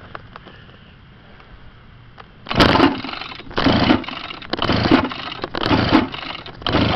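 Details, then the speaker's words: Pull-start scooter after new throttle cable, carburetor, pawl and pull start, no fuel filter: five recoil pulls, each rattly whir dying without firing; fails to catch, owner suspects spark plug. "I'm gonna pull it a couple times and let you hear what it sounds like I think it needs a new spark plug I think that's the problem"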